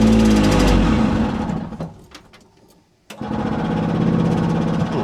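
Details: 1970 Willam Fourgonnette micro van, 125 two-stroke, parked 20+ years: repeated cranking chugs briefly, dies, cranks again without catching; engine flooded and spark plug gap too tight.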